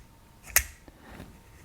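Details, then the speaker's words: Harley-Davidson touring ignition switch: one crisp mechanical click with a faint tick as the internal ball bearings snap into the position channels; normal detent. "if you wondered this deal here when you turn your ignition on and off and you hear it click those ball bearings in there there's different channels and that's your different positions"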